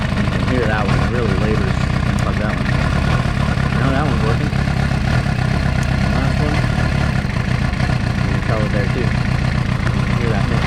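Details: 2006 Suzuki GSX-R750 inline-four, air cover off during troubleshooting: uneven, lumpy idle with an irregular stumble, as if not running on all 4 cylinders; stalls at lights, rough at low RPM. Owner suspects a faulty coil pack, but the coils spark and read similar resistance; misfire cause unconfirmed.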